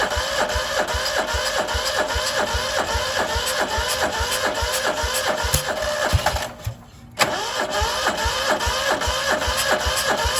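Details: Cub Cadet 2146 lawn tractor, 14 hp single-cylinder Linamar engine, sat 3 years; frozen choke, weak battery, full throttle: slow regular cranking two or three pulses a second, pause, more cranking, never catches.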